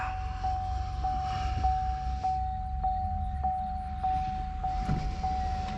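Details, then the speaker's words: Cammed ProCharged Camaro after calibration-only idle changes (Nick Williams throttle body scaler, PID idle loop tweaks, new base running airflow): deep lumpy cam idle on first start, a little low but steady with no surges; normal idle. "i would say that's just a little low but look no surges we have a nice steady idle"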